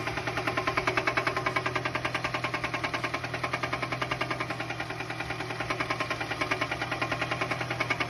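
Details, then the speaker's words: Car engine that began knocking on a short road trip, 30 minutes before arriving home: sharp, regular knock about three per second over a quiet-running engine; spun bearing suspected, not confirmed. "okay again while on a short road trip this customer's car started this knocky noise 30 minutes before they got home it's most likely a spun bearing"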